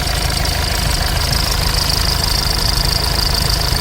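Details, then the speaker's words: SsangYong Korando C diesel after severe overheating and burst radiator: rough, loud idle with a heavy knock of about two to three beats a second; damage suspected, cause not confirmed. "엔진 소음 엄청납니다. 자, 스톱, 얼른 고! 와, 엔진 소음 엄청나죠."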